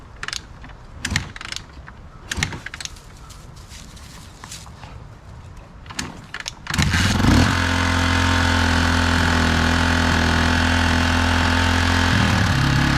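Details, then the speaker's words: 1987 Honda XR250R after sitting over winter, just serviced with two quarts of oil: after a few clicks it starts and settles to a fast, even idle, running quicker than it should; idle needs turning down. "aha all right so that worked good but it sounds like it's idling a little high so you want to go in"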